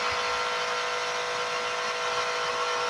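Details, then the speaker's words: Last pump in the test, a DC 12 V high-pressure cylinder booster pump (DP 166), run unloaded: loud, steady buzzing hum with a high rattly edge, about 93 dB on a sound level meter; healthy, just noisy, quieter (about 82 dB) once spraying. "93 ya ini tanpa beban l sudah berisik ya"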